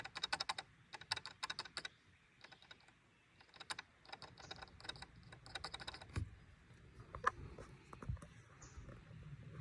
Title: 2022 Toyota Tundra A pillar rattling noise coming from a plastic clip.